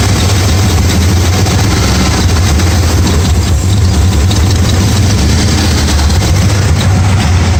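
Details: 1994 Dodge Ram 5.9L V8 with codes 37 and 51, rough idle and backfiring, before repair: a lumpy, uneven idle. The cause proved to be a failing crankshaft position sensor, and replacing it restored normal running.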